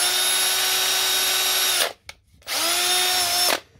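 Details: Drill running on a repaired Milwaukee M18 5Ah battery: two smooth, even bursts of high motor whine spinning up cleanly to full speed; drill runs normally.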